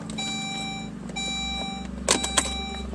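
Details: Saab OG 9-3, engine off, after fuel filter replacement: the key is cycled on and off to prime the fuel pump and line via the relay; a steady repeating electronic chime over a faint hum, the normal key-on chime.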